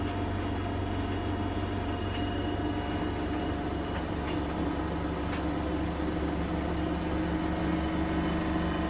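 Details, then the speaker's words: Bosch WFP3300 washer with new bearings, bearing seal and door seal, high-speed spin around 1600 rpm: steady drone with faint irregular light rattle; owner suspects a loose cabinet panel rattling. "Maybe interesting to know which panel is rattling. Some bit of it must be rattling a little bit."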